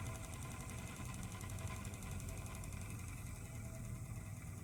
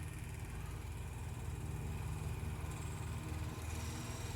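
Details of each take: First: Vintage Elcon disc fan from about 1930: a faint fizzing crackle rides over the motor's low hum as the brushes arc on the commutator. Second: Refurbished 1930 Elcon antique desk fan: steady low motor hum rising in pitch as it speeds up when wound out, easing spring tension on the contact, with sparking inside; motor speeding up normally.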